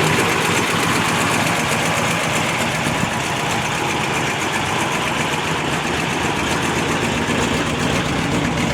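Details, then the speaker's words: 1955 Ford Fairlane Victoria, off the road since 1992, idling through long mufflers before its first drive: steady loose V8 idle with a light, quick tick on top; owner suspects a lifter tick, unconfirmed. "so sounds like bit of a lifter tick maybe I don't know how long it's been since this thing's been ran"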